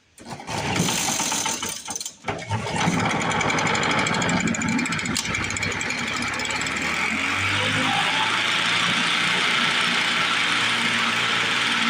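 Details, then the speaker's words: 1950s Lawn-Boy bricktop two-stroke mower with low compression and freshly cleaned points: stumbles, then runs with an uneven sputtering beat that never settles; owner suspects a stuck carburetor needle valve, and the choke keeps coming off. "I think our needle valve is stuck. We're gonna have to play with this carburetor a little bit."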